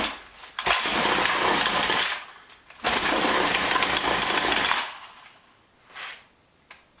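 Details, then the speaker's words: John Deere BC1600 trimmer (Homelite UT-15198 equivalent, Zama H46 carb), long-stored: two short ragged high buzzing bursts fading within seconds; catches but won't keep running, owner suspects carburetor needs cleaning. "Well, it almost wants to go. I may just need to take that carburetor apart and give it a good cleaning."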